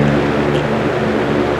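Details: 1940 GE Vortalex 16-inch antique fan, heavy cast parts absorbing sound: steady soft airy whoosh with faint low motor hum, no ticks or rattles; runs clean and healthy.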